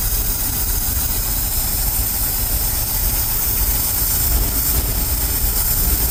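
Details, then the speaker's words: Ford F350 dump truck, carbureted, first start after new belts: uneven loping idle with a shaky low rumble that never settles; carburetor running rich, puking fluid and trying to boil over, owner expects to pull the carb apart. "Yeah, I think I'm gonna have to end up pulling this carb out or apart because it's trying to boil over. And it's idling really rough."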